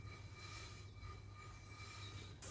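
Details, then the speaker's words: Rear wheel of Project Ruby car spun freely by hand, raised off ground, handbrake fully off: faint steady hiss with thin high ringing as the brake shoe lightly touches the drum; light shoe rub, this side freer than the other. "It does take ages to stop, but you can just hear where the shoe is touching the drum."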